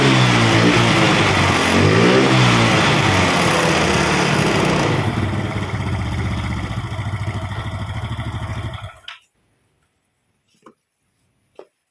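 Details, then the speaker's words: Yamaha Mio Sporty scooter after a loss-of-compression repair (eroded valve, O-rings replaced), running better than the day before. The small single revs up, settles into an even idle with a steady beat, then shuts off cleanly: normal running. "okay, now I'm trying to drive the langsa, it's better than yesterday,"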